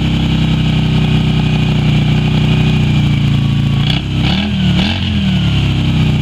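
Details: Yamaha Virago XV250 V-twin started after 6 years in storage, old fuel in the tank black, carb primed with squirted petrol; steady low idle throbbing with a few quick throttle blips, running rough while clearing stale fuel.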